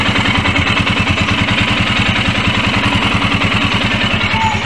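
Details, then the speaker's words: Royal Enfield after fuel pump, filter, injector and relay cleaning plus an oil change: even, steady thumping idle with no knocks, ticks or rattles; engine sounds smoother than before. "ya suaranya lebih smooth lebih halus"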